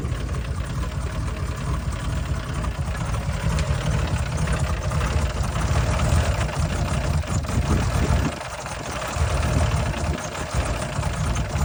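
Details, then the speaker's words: Turbocharged LS engine running rich, blowing heavy smoke, with a leaking wastegate gasket: deep, lumpy idle with uneven thumps, not rod knock; possibly not firing on every cylinder. "well that does not sound healthy at all like it doesn't quite sound like Rod knck I don't think it's that"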